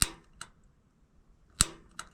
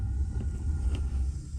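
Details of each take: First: Rheem gas water heater in attic, ran out of hot water: sharp, irregular ticking, some snaps duller than others, as the pilot igniter throws a weak spark; corroded igniter, only temporarily fixed by sanding, burner assembly later replaced. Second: Rheem gas water heater in an attic, just after replacing the burner assembly. On lighting it gives a deep, soft, steady low roar with one faint tick as it catches; the burner is burning evenly, as it should.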